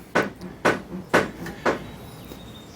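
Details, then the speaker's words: Triumph TR4A IRS, rear bounced by hand: four sharp hollow clunks about twice a second; owner suspects worn rear shock mount bushings, plans to replace rubber with polyurethane. "I think the problem is how to shock mounts up for the bushings so I got these poly urethane guys I'm going to replace the rubber ones with"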